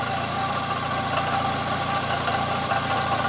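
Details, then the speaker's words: Fiat Palio 1.8, 2005 (phase 2), idling with a fast, light, even ticking and a faint thin whine above the running note; identified as a worn water pump bearing. "no sé si le pareció el sonido pero ya sé que es la bomba del agua"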